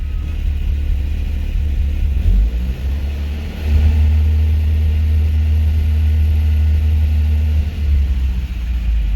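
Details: Rebuilt 1987 Toyota 4Runner 22RE idling: smooth, even idle with brief throttle blips; smoke cleared at idle but constant smoke around 2000–2100 rpm during cam break-in, possibly rings seating; about 75 psi oil pressure at 2000 rpm.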